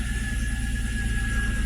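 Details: Nissan Altima race car just after the unplugged alternator was reconnected, now charging with no flickering lights: even, low idle pulse that holds steady with no stumble or surge; normal idle.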